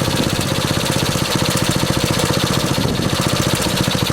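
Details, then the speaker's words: 1964 Honda S90 brought out of storage: small single-cylinder engine pops along in a quick even rhythm with no misfires or rattles; runs cleanly. "That's took it for a ride around the block. It ran pretty damn good. I'm surprised."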